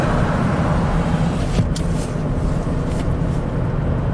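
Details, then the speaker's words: 2009 Chevy Traverse V6 GDI, 190,000 miles, test drive after an oil change: smooth, even engine hum under road noise with no rattle or misfire; VVT variance stays under two degrees. Earlier misfires on all cylinders and timing codes were traced to neglected oil. "nice and smooth as expected let's see the variance staying below you know two degrees no more clattering or chattering"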